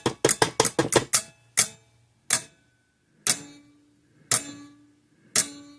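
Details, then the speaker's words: 1950s–60s Parmac-made Sears 6-volt mechanical electric fence charger with gold-plated points, dead until the switch is tapped, then sharp clicking pulses, rapid then about one a second; intermittent switch contact, not the wire. "See, if I touch those 2 points together, it'll fire right up. Take that away, dies."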